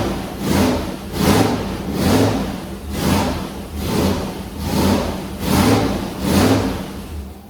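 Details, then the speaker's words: Gen 2 LT1 350 small-block Chevy, sat nearly 20 years, carbureted on dyno, first start: runs with regular surging rises and falls as throttle is worked; has oil pressure, timing still to be set. "yay it's aive it's got oil pressure taking throttle obviously the distributor's somewhere close"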